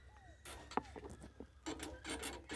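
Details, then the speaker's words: Honda CG 1999 (CG 99) motorcycle, engine off: quiet dry rubbing creaks and a short squeak as weight shifts; owner thinks jumps and potholes caused it, suspects the swingarm area, unconfirmed. "Eh, ó, eu acho que isso aqui foi devido aos aos pulos, né? Aos pulos, aos buracos, certo?"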